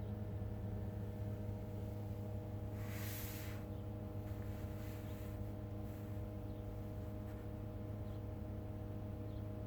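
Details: Brand-new 2021 Tesla Model 3 with 300 km on the odometer and its heat pump already replaced: at -10°C outside, a loud, layered droning hum is heard inside the cabin, shifting pitch with compressor speed; owner asks if this is normal.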